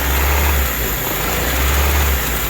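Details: Honda Civic with a leaking valve cover gasket, surging idle: speed rises and falls in slow waves about every 1.5 s while brake cleaner is sprayed around the injector to find where the idle changes; vacuum leak suspected.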